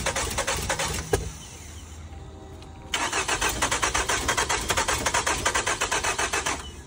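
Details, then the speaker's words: 2006 Nissan Altima with a jump box connected. It reportedly started the other day blowing a lot of smoke and went into gear, but now the starter spins in even pulses over two attempts and it never catches: cranks, no start. "you said can't get it started today but it did start the other day blowing a lot of smoke uh would go into gear"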